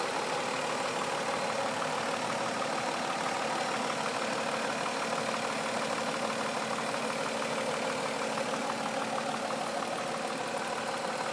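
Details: 2004 Mazda 6 3.0L V6, 94K miles: uneven lumpy idle with dull low knock about three times a second; cause unknown.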